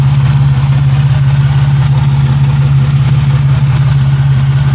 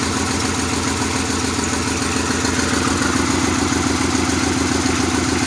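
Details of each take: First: 1997 Pontiac Grand Prix GTP coupe, engine idling right after the belt was fitted: a steady low drone with an even idle beat and no knocking or squealing, which is a normal, healthy idle. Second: 1997 Pontiac Grand Prix GTP coupe, still misfiring at idle, with an uneven, stumbling beat about twice a second under a busy hum. It is shaking a little and blowing white smoke.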